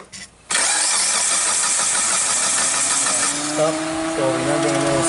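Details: Mitsubishi Lancer (2003 or 2006, 4G18) that stalled while driving, no codes, no spark: starter spins engine at steady even pace without firing; crank sensor signal to ECU suspected. Crank no start.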